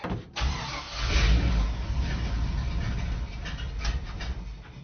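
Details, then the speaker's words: Rough cold start of a 1966 C20 truck after several weeks sitting in cold weather: cranks, catches and flares up, then settles into a lumpy, uneven idle before being shut off. "Oh, she's not happy though. Alright, that's enough."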